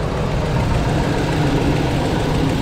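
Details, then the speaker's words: 2004 Chevy Tahoe 5.3 V8 after removing snapped exhaust manifold bolts and refitting manifolds: steady, even low idle, no ticking or puffing; no lifter or valvetrain noise, no exhaust leaks either side; healthy. "I didn't hear any tickety-tick noise. That confirms we do not have any kind of lifter or valve train issues. I hear zero exhaust leaks from either side."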